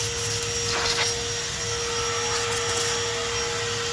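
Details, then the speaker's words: Exhaust pressure test with a vacuum blowing into one side of a dual exhaust: steady drone with a strong airy hiss of air escaping at the exhaust manifold gasket. "you can hear air escaping from the exhaust manifold gasket that's by the exhaust manifold"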